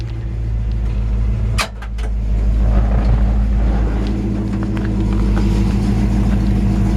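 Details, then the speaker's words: 1957 Chevy 3100 truck, Crate 350 V8 with 4-barrel intake, Turbo 400 transmission, likely low miles, mild quiet exhaust: deep, even burble rising smoothly on a light throttle blip and settling back, no ticks or knocks; healthy. "just give it a little rev for you. It's actually a pretty mild, quiet exhaust. But just a really smooth running engine."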